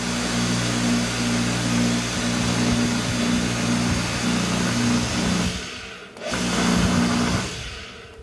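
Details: Pressure washer motor after replacing the faulty capacitor, which had stopped it starting (it hummed without turning): steady even hum at constant pitch, stops briefly and restarts cleanly at full speed; motor now starts and runs properly.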